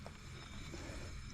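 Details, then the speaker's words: Front wheel hub spun by hand: a low, gritty rumble, steady as it turns, louder than the other wheels and with noticeable play. A worn front wheel bearing. "Not only that, there's the play. That's quite bad. So, that's going to be the one."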